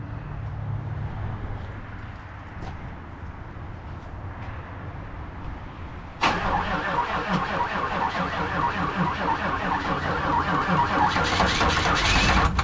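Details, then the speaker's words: 1994 2500 diesel truck just after a new fuel filter and hoses: quiet at first, then it catches and runs with a rough, uneven diesel clatter. Air is still trapped in the fuel system; no fuel leaks. "Got to get that air out the system. No fuel leaks."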